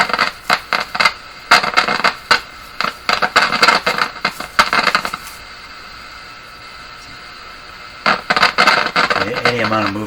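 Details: Grundig Prima Boy Luxus radio: sharp irregular crackles in bursts several times a second that stop and return when parts are moved; intermittent connection, cause not yet found, possibly a cracked part.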